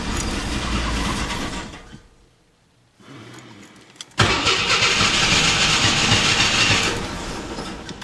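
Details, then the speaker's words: AMC Eagle 258 after TFI ignition upgrade and coil wiring, first test fire: cranks, catches unevenly and stumbles, then a fast high idle; owner suspects choke installed backwards or a vacuum leak, not confirmed. "open this door and Oh rough start the carburetors and burst of leaves I guess I got it wired correctly"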